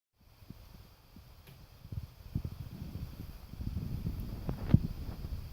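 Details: Neighbor's natural-gas water heater metal exhaust flue inside a bedroom wall: irregular ticks, taps, soft pops and creaks building over seconds as the flue heats and expands or cools and contracts.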